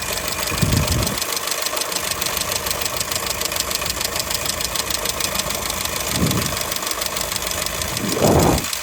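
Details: 2002 Skoda Fabia engine at steady idle with a rapid, fairly uneven ticking knock, roughly three per second, and occasional louder thumps. The owner asks what could be knocking; source unclear.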